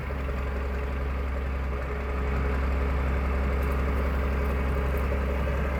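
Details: 1993 Dodge Ram D350 with an unmodified Cummins diesel (killer dowel pin fix) and 5-speed Getrag manual, exhaust brake fitted: steady, even idle with a deep, low rumble and no knocks or misses; sounds healthy.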